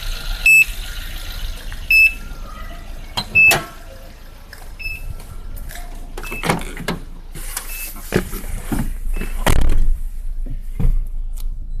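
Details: Suzuki Splash after a dead battery: a high, thin beep repeating about every second and a half over a low idle, persisting even with the battery disconnected while the engine runs.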